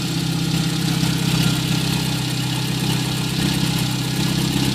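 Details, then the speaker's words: VW Gol 1.0 8v, 20W50 mineral oil, idling about 5 minutes after start, not fully warm: even idle with light regular lifter tick about three per second, normal morning tappet noise; noise of concern only appears when hot; normal idle. "Somente barulho normal, barulho de tucho aí pela parte da manhã a hora que liga."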